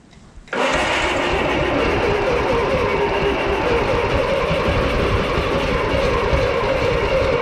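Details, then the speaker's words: 1955 Oliver OC3 crawler that sat 20+ years, with an IH Farmall M distributor, a temporary coil and ether: it catches abruptly into a loud, ragged, uneven run. Owner suspects the timing is set too far advanced. "again we're really close now okay now I think I have the timing a little too advanced"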